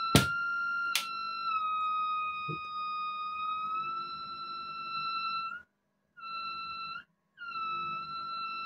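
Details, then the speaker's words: Mesa/Boogie Mark IIC+ reissue amp on a variac, master at zero: steady high-pitched squeal heard physically from the preamp, not speakers, cutting out abruptly; oscillation traced to reverb cables routed near the preamp tubes. "You can hear the amp oscillating physically oscillating from the preamp, not through the speakers."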